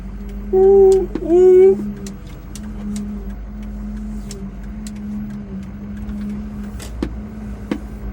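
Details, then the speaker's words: 2006 Ford F250 Super Duty while moving: short rising-and-falling moaning groan over a low steady hum from the rear; owner suspects the rear brakes, cause not yet confirmed. "so I don't know if you can hear that sound but something definitely ain't right either it's the mating call of a whale or we got something going on in the rear of the truck here we're going to have to take a look at that uh"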